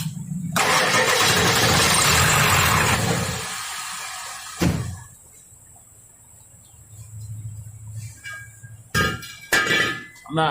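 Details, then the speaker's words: Ford 7.3L diesel with code P1211, which previously took 4-5 seconds to start, lacked power and stalled, now after repair and an oil change: loud crank catches in about three seconds into a steady idle; normal start-up. "I'm not even going to tell you no lie that's it's starting up a lot better"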